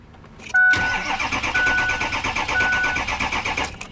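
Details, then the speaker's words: Auction diesel truck, 357,000 miles: the starter spins the engine over evenly and fast for several seconds but it never catches. The owner suspects it lost its fuel prime. "I'm not going to burn up my booster pack on this one truck it probably probably lost its prime I find that all the time out here"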